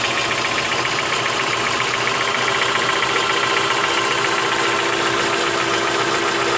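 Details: 2003 Mitsubishi Lancer, stock, 162k miles, fresh oil change, full oil, P0456 evap code: steady light ticking about four per second at idle; owner suspects lifter tick, cause uncertain.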